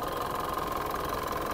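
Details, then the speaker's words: Mitsubishi Montero 4D56 diesel at idle: rough, busy clatter with uneven chuff, strong oil spray and light smoke; mechanic says it should not sound like this, diagnosing worn piston rings and liners with heavy blowby, beyond the EGR cleaning first suspected. "hindi maganda yung tunog niya hindi ko gusto yung tunog niya para sa isang Montero na 4D 56 hindi dapat ganito ang tunog nung engine na to at dahil sa malakas ang talsik ng langis at Ayan medyo umuusok na siya yun ang delikado"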